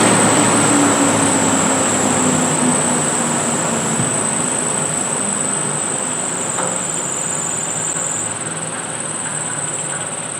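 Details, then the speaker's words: Rebuilt chip collector dust collector, belt-driven impeller: steady even blower rush with faint high whistle and light material rattle through the pipe, much quieter and smoother than before the rebuild; no imbalance or bearing noise. "as you can see it runs a whole lot quieter a whole lot smoother"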